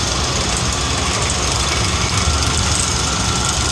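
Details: Rebuilt Kelly Duplex 3-ton horizontal paddle mixer, heard from beside the trailer by the bowl gear and roller chain: even, steady drone with a low rumble, no irregular noises or scraping; running smoothly.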